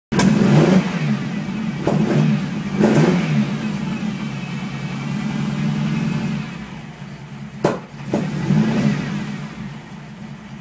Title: Ferrari Mondial rough idle and backfire